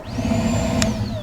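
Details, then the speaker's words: 2009 Ford Fusion with P0410/P0491 secondary air injection codes: the electric air pump under the intake manifold, commanded on, whirs up to a steady high tone and winds down; it runs, with air heard loudly at its inlet tube. "well that's cool pump runs I need to follow my plumbing here because I'm hearing air in a location I did not expect"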